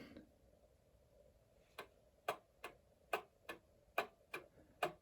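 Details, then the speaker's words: 110-year-old Ansonia Blackbird clock movement, freshly oiled at pivots and remounted in case: ticks fall in uneven pairs, short gap then long, about seventy a minute, instead of even tick-tock; clock is well out of beat and needs setting. "so it's way out of beat. Dun dun dun dun dun dun dun dun. That's way off."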